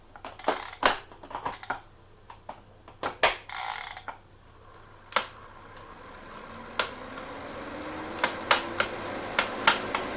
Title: ELITE DIRETO KNOCKING NOISE